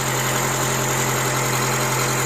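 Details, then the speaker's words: Honda Element SC with newly installed rebuilt engine (old had blown head gasket, warped block), first start: steady, even idle, smooth low hum, no misses or water leak; normal idle, slight tap suspected from rocker arms needing adjustment. "It sounds really good, actually. It sounds better than my car."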